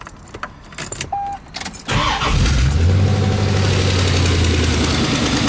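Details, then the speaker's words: C4 Corvette Chevy V8 first start after new headers fitted: short crank then loud, raw, rapid blat at idle, sounding like a demolition derby car. "sounds like a demolition derby car right now it's hard to tell what it'll sound like"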